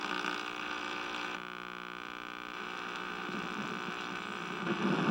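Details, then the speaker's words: 1961 RCA KCS133 portable television power-up test: steady even mains-type hum with no program sound; audio detector tube or circuit suspected failed, possibly a tube with mechanical fault; horizontal phase detector diode also soft. "the sounds like the audio detector tube or something the audio detector circuit crapped out"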